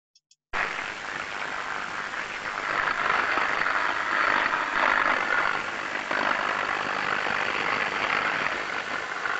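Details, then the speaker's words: Ultrasound inspection with an airborne probe at a safe distance: dense, fizzing crackle of varying amplitude that swells and fades, pinpointed to 400-volt low-voltage cables with electrical tracking. "so we can hear the crackling noise the variant amplitude but because the sound is directional using ultrasound and they were using airborne old phone at the time they could stay at a safe distance and locate the source of that sound it was coming from some 400 volt cables"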